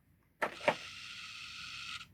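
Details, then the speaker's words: BMW E46 M3 instrument cluster during dash swap, powered up: two quick clicks then a brief high buzzing rattle as all gauge needles reset to their home (zero) position, normal behavior. "That rattle you can hear is all of those needles resetting themselves back to their home position."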